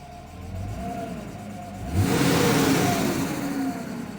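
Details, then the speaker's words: 1990s BMW E36 M3 at 189,598 miles, first start after sitting, not yet at temperature, with noisy lifters: on throttle blip a loud whooshing roar swells and hangs on as revs drop; fan clutch suspected stuck. "Yep, I'd say the fan clutch is bad too. Sounds like it's stuck."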